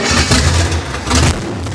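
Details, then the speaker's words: Junkyard Chevy 305 V8 running with no exhaust fitted: loud open rumble with a busy metallic clicky rattle over it; suspected exhaust leak, rattle cause unconfirmed. "get it's loud I can't I think it just has an exhaust leak but it's got some sort of rattle to it"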